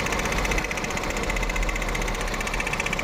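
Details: Volkswagen Polo/Vento with code P030100, a cylinder 1 misfire, that misfires at 50–70 km/h with the engine and EPC lights on; uneven idle with a pulse dropping every few firings; the cylinder 1 injector shows no pulse while the plug lead has current.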